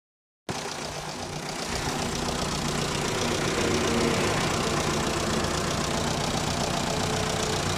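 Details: Mitsubishi Lancer diesel idling with a steady tick about four a second over its clatter; low oil level, a faulty lifter or a bad connecting rod suspected.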